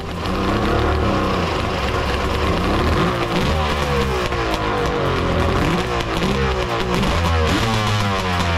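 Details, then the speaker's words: Three-cylinder two-stroke 1200 R engine in a mini jet boat with triple pipes, header re-welded and midpoint pipe brace added: loud crisp roar, revs rising and falling, even exhaust note; all three cylinders firing, sounds good. "well all three look like they're firing yeah that sounds sounds good"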